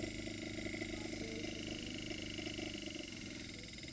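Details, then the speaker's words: Three-phase BLDC inverter refrigerator compressor with a 3-way valve attached, driven by an inverter simulator while speed is raised and lowered. Low steady hum with a soft electronic buzz, no knocking or rattle: normal running. "Podemos disminuir o aumentar su velocidad. Aquí ya aumenta su velocidad."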